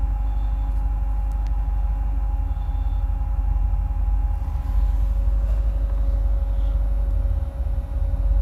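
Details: 2008 Corvette C6, automatic, tuned, with cold air intake, long tube headers and no cats, plugs recently changed: deep steady V8 idle rumble with faint unevenness and a dip near the end; rough idle, cause unknown, owner notes rpm dances when fans kick on.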